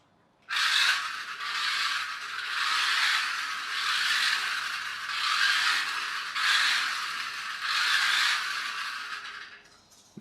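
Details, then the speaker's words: Small electric toy car run on the floor in reverse, where it seems noisiest, with a 3D-printed replacement gear: harsh gritty gear whirr and rattle swelling about once a second, partly wheel spin, before fitting proper ordered gears. "I'll just run this on the floor for a second so you can hear how noisy it is and we'll see if it makes any difference put in these gears in if they're the right ones we'll find out when you try it I think it's in Reverse its noisiest"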